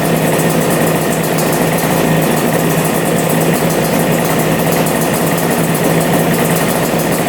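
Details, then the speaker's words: Two-stroke twin idling steadily and evenly on both carburetors after clogged filters were suspected of starving the right carb; both pipes hot, both cylinders firing, owner thinks main jets may be too big as it uses lots of fuel; normal idle. "yeah running good running on both carbs that sounds so good"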